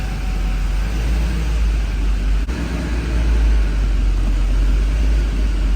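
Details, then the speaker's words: Duramax diesel truck with recurring fuel problem, after new fuel lines and bleeding, check-engine light on: heavy low idle with an uneven, loping beat and stumbles, running worse; owner suspects air in the lines or the fuel filter head. "I'm sure there's tons of air in the line I did bleed it though it's actually running worse it's interesting"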